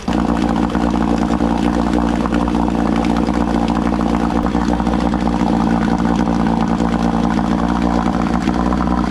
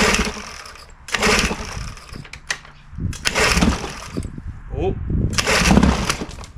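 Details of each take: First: Old outboard on an aluminum flip boat after its low-speed idle mixture dial was turned counterclockwise in eighth turns to richen it: a steady, even idle putter with no sneeze or stumble, running clean until shutoff. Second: Old outboard on a cheap aluminum flip boat with the carburetor showing no overflow leak: the idle surges with small sneezing stumbles every couple of seconds, a lean mixture to be adjusted with the carb's low-speed screw.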